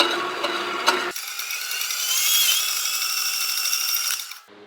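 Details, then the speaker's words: Wen benchtop metal-cutting bandsaw after adding guide wheels to stop the blade flying off: bright running hiss with light uneven scraping ticks as the blade rubs a lower guide wheel, expected to wear in. "again I can hear it rubbing down there I don't think that matters because she's gonna wear itself in overtime"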